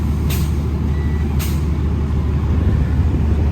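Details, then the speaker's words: Used truck with 9-speed transmission and engine brake, inspected before purchase: low steady idle with short sharp air hisses when the brake is applied from leaking brake chambers; coolant leak also seen, suspected water pump. "Brake chambers are leaking."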